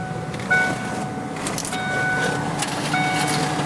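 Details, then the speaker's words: 1993 Ford Thunderbird SC Super Coupe, under 50,000 original miles: power antenna motor gives a steady thin electric whine with high tones that runs on without stopping; motor turns but the antenna mast is broken. "That's right, the antenna is broke."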